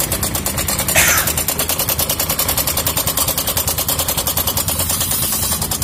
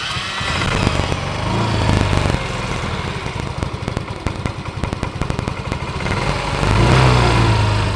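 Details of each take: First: Yamaha Mio M3 scooter at idle: fast rough metallic rattle, about three clicks a second, like a sewing machine (jrek-jrek); loose cam chain, fixed cheaply to run smooth again. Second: Yamaha Mio M3 scooter, previously rough with a sewing-machine-like clatter from friction, after the repair and reassembly including the throttle body bolts: even, steady putter with a smooth rev rise and fall and no rattle. Normal running.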